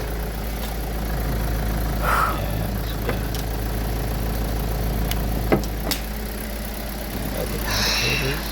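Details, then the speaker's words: Kia Rio G4LC engine after rebuild following oil pump failure, running after the exhaust manifold was tightened: steady low, even idle with no knocking or ticking, just handling clicks, no warning lights; normal healthy idle. "it's running everything is running look at that there no lights that this Tru so yeah we're good to go just listen to that just listen to that quiet nice"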